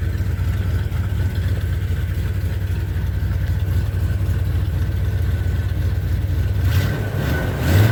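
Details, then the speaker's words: 1978 Chevy C10 truck V8 after sitting a few days, battery just reconnected: deep, even rumble holding steady with no knocks or misses, brief blip at the end; owner says it has never run better; healthy idle. "do this whole truck has never run this since i've had it never run as good as it does now"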